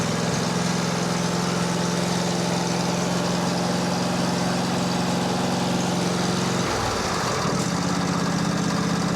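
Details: Craftsman 22 hp Briggs & Stratton V-twin, on booster pack after fixing fuel-pump pulse line, with choke and throttle: steady even run, smooth low beat, one brief dip around 7 s; running normally.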